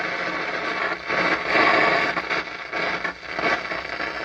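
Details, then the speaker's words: Akai AA-R40 stereo receiver with intermittent volume fault: loud hissing, crackling static surging up and down with no music, even with volume at zero; owner hopes for a loose solder connection, unconfirmed. "And not only that, but it's at 0 right now, or the least amount of volume, yet it's loud."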